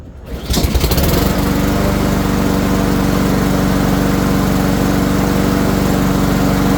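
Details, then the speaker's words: Honda-engine Troy-Bilt 21-inch push mower after carburetor cleaning and filter service, refueled. Pull-start catches at once and settles into a steady, even drone with no misses or knocks. "And in a few seconds I'm going to show you how the mower will start up and run perfect."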